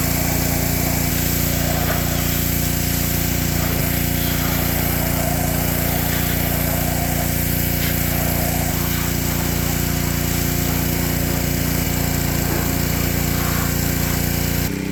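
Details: Ryobi pressure washer small single-cylinder engine (Honda-tagged) after fixing lost compression, cylinder soaked with penetrating oil; steady, even drone under load, no misses, knocks or hunting: normal running.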